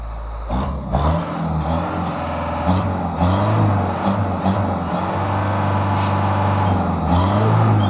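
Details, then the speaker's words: Mitsubishi Canter 110 PS diesel van, stock, recently bought secondhand, after engine tuning/setting with smoke adjusted: picks up cleanly through several throttle blips and settles back, no knocks or misses, healthy running. "ini adalah hasil dari suaranya suaranya tetap kita kasih untuk yang EE suara original setelan nol jadi enggak terlalu kasar"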